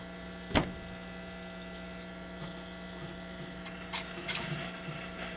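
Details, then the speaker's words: 1937 Zenith 10S130 tube radio on variac at about 90 volts, below full voltage: steady low mains hum under a strong station with handling clicks; power supply filter or paper wax capacitors suspected, cause not confirmed. "yeah it's definitely working but there's some pretty serious hum in this thing I don't even have it at full voltage and it's humming pretty good"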